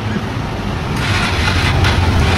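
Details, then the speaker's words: 2013 150 cc motorcycle that won't hold idle; small uneven thumps, sags and nearly dies; poor idle, stalling. "Dá até partida, mas fica assim apagando fogo, ó. Então, esse aqui é um defeito dela."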